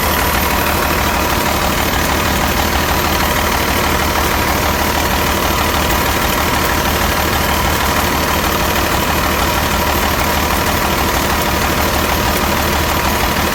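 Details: Detroit Series 60 diesel, new engine under 10k miles, about 50–55°F, hard starting, firing on only 2–5 cylinders: loud uneven idle with ragged knock about three per second, stumbling beat, heavy exhaust smoke, suspected exhaust leak; no check-engine light, cause unknown.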